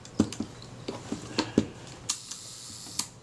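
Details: Kodak Retina IIIc after service; advance lever had been bent and caught on the body, now straightened, shutter freed. Crisp, uneven clicks and snaps from wind-on and shutter, nothing catching or dragging; mechanism working freely.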